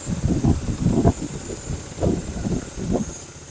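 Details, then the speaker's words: BMW E30 with a swapped M43 four-cylinder and a blown head gasket leaking compression into the cooling system: rough, uneven idle with lumpy thumps and surges, the middle two cylinders dead despite spark, misfiring. "We also have the middle two cylinders are dead. As you can see, there is spark, but it's not affecting the operation of the engine as the first one is"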